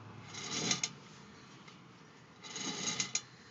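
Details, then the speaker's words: Car with front driver-side wheel off, wheel spun by hand in a quiet room; short bursts of light clicks like a marble dropping as it slows, seemingly from behind the hub; brake pads look fine, source unclear. "sounds like that sound is coming from back here and you can kind of hear like sounds like a marble dropping right after I stop you here click click after that"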